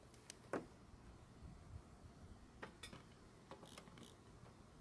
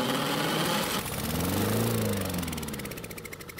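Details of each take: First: Honda mower found free, no fuel in tank, fuel poured into the carburetor throat to test ignition and compression: after quiet clicks it fires and runs a few seconds with an even beat, no knocking, then winds down; normal running. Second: Free non-running Honda lawnmower, missing its gas cap, kept running on propane from a torch: the single-cylinder engine runs rough, then its firing slows and fades as it starves. It stalls.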